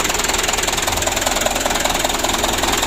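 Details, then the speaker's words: Mitsubishi Canter 2007 diesel after engine rebuild, warm after running last night, clatters at a low, shaky idle with an even rapid knocking pulse; rough idle, idle speed raised slightly with adjustment planned. "ini masih kita panasnya setelah tadi malam seperti ini ya goyangnya jadi kita naikkan sedikit besok kita setel"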